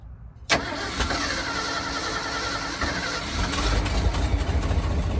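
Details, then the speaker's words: 1978 Ford dump truck after new starter, new starter solenoid and replaced battery cable: brisk strong cranking that catches almost immediately and settles into running; fastest it has ever turned over, curing a years-long slow-start problem. "So, I've had the truck like three or four years and it's never turned over that fast."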